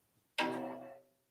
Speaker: right so that's where we are we're not quite tensioned we're close but not quite so let me put some more tension on